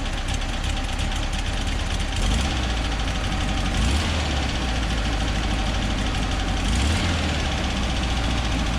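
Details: 1963 VW Bus (Kombi) with air-cooled 1835 flat-four and Freeway Flyer transmission, idling a little better while being checked for a no-start: steady low chug with even pulses, no misses or knocks, normal idle.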